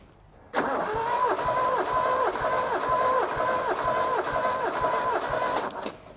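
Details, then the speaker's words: Toyota RA28 Celica Fastback engine cranking during a compression test: even, strong beats about 190 a minute, no weak strokes; cylinder one reads 175, nearly 180, others about 165-168; healthy compression. "wow okay that's very good all right so that is 175. nearly 180."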